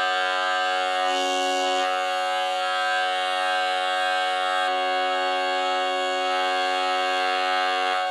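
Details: Jensen V21 upper horn driver, tested on bench; steady held tone with a raspy bumblebee-like buzz instead of a clean note, persisting after adjustment; diaphragm worn out and unusable.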